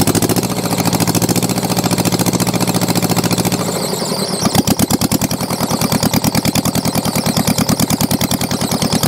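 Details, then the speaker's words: Mitsubishi diesel tractor saved from scrap catches after glow plugs held for a 10-count and settles into a steady, even clatter about two beats a second; running properly after a hard start blamed on low compression and slow cranking. "oh my goodness that was a fight and a half good Lord that was a battle clamoring away pretty good now"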